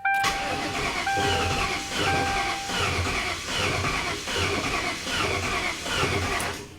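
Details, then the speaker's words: 1998 Ford Crown Victoria P71 parked over 10 years: starter turns the engine in rhythmic pulses about once a second but it never fires; relays click but no fuel pump is heard, suspected no fuel pressure. "I definitely hear relays but I don't hear a fuel pump"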